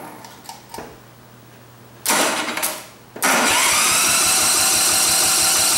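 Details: Montgomery Ward GX7, first start in 37 years: cranking, then a brief catch and a short roaring run only on gas squirted in. The float bowl and needle valve are badly gummed, so the carburetor needs a major overhaul.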